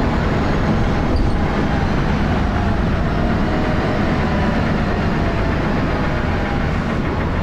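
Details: Diesel bus engine (First Manchester Dennis Arrow, fleet 31923, P423PVW) running steadily, loud harsh clatter with a hard knocking beat under heavy thrash; engine knocking, cause unknown.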